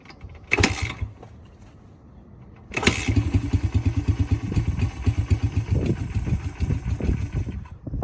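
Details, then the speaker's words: Honda XR80 dirt bike, not started in 10 years, after carb cleaning, an oil change and a filter clean. It starts on the second kick, runs lumpy and uneven with popping, then stalls; after a carb adjustment it started fine. "i started a second kick but then it stalled but then we adjusted the carburetor and then started fine after that"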